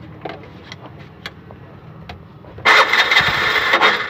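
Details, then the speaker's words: Bajaj BS6 LPG auto-rickshaw with the gas injector unbolted and held aside: cranking catches into a rough, busy run for about two seconds. It starts without the injector fitted but not with it, pointing to a faulty injector. "Without ಇಂಜೆಕ್ಟ್ರಲ್ಲಿ start ಆಗಿದೆ ಗಾಡಿ. Injector ಹಾಕಿದ್ರೆ start ಆಗ್ತಾ ಇಲ್ಲ."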